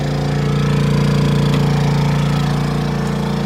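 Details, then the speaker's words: Honda 2200 W generator next to the RV, heard while running a Dometic 15k AC with Softstart at about 1580 VA: a steady, low, even drone with a constant beat, holding speed under load, barely audible over the AC. Healthy. "of course i can hear the air conditioner but i really don't hear the honda and that is the beauty of the honda"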